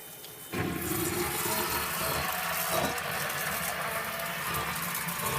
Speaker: right here you have the float for the backup so that's higher now the backups running